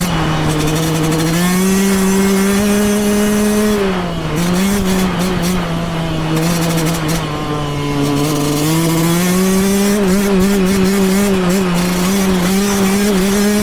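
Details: Yamaha YZ125X two-stroke making an abnormal noise: steady buzzy note dipping and climbing with throttle, faint rattle on top; source unclear.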